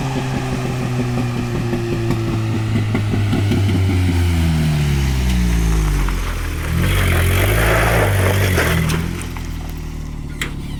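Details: Toyota pickup 22R-TE with a T3/T4 turbo at 8 psi boost, a hi-flow cat and a muffler revs up and down. A rough, fluttering brrr rides on the exhaust note, coming largely from an exhaust leak at the wastegate.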